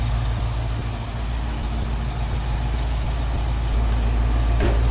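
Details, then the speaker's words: 1973 Ford Bronco with a roller 302 (5.0) V8 from a Fox body, idling with the thermostat not yet open and the radiator uncapped; deep, steady V8 idle with an even pulse, no knocks or misses. Normal idle. "This is a little roller 302 that we got out of a Fox body. So it's a slightly more modern 5.0 in this truck. It runs really good."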